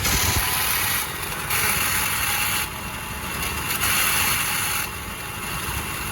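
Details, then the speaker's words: 7.3 diesel Ford Excursion at idle with a worn belt tensioner, to be replaced: harsh, hissing metallic clatter high up that comes and goes over the diesel idle. "So we're going to replace the belt tensioner on this here Excursion today. That's making this terrible racket that hurt my ears."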